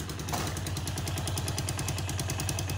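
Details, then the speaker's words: Chinese 125 cc motorcycle, started after years of standing with fresh fuel added to the tank: rapid, even chuffing about eight beats a second while cranking, but it never catches. It cranks but won't start. "trochę a jednak nie chciał nie chciał nie chciał"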